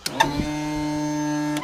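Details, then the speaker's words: Tilt and trim on a 2014 Yamaha 250 SHO outboard after motor replacement: steady electric motor hum with an even whine, running over a second and stopping cleanly while trimming down; normal operation. "There it is. Is down. Okay, that's good."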